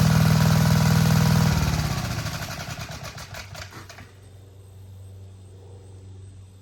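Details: Vintage Gravely Model L garden tractor with Jenkins overhead-valve conversion, bought at estate auction, running after only cleaning points and adding gas: strong, even single-cylinder thump runs cleanly, then slows and dies away; no misfire or knock.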